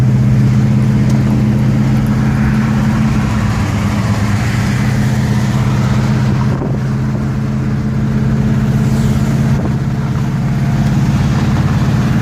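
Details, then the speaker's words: 1969 Pontiac GTO 4-speed, about 3.55 gearing, warm on test drive: steady low rumble while cruising, smooth exhaust, no knocks or misses; healthy, though a muffler may rattle against the floor under hard acceleration. "now that it's warmed up we'll we'll pull off for a minute and let it rip one more time before we get back to the uh to the owner's uh lot car runs very nice"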